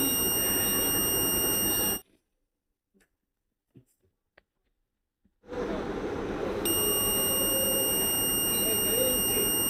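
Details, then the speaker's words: 775 DC motor coil checked with a multimeter on continuity across the commutator segments; two long, steady beeps with light probe clicks show the windings are continuous and the coil is good. "যদি আপনারা শব্দ শুনতে পান অর্থাৎ ভিপ সাউন্ডটা যদি শুনতে পান তাহলে বুঝবেন যে আপনার কয়েলটি ভালো আছে।"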